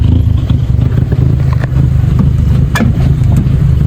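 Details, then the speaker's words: MK5 VW Golf GTI idling rough, uneven and lumpy with a stumbling low rumble after smoke came from the bonnet; misfire on cylinders 1, 2 and 3, no dash lights, leaking air intake fault stored. "my guess is a misfire so let me show you what's happening and let me show you the what the diagnostic Mach is right so this is not right"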